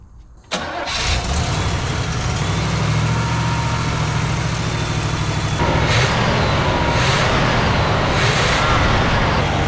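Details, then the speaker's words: Cold 1977 Oldsmobile 98 Regency V8, whose fuel pump was leaking, catches and settles into an uneven, loping, stumbling idle: a misfire caused by vacuum leaks, which seemed to stop misfiring once the leaks were fixed. "little bit of a misfire going on up the level on the coolant"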